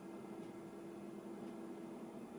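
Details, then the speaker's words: Packard Bell iMedia Windows XP PC after its noisy fans were replaced, at power-on. Only a faint steady hum and soft airy hiss are heard, so the fans run nearly silent. "and a quick power on reveals that i don't hear a [ __ ] thing ah that sound of silence even when turning this thing on you can only hear crickets"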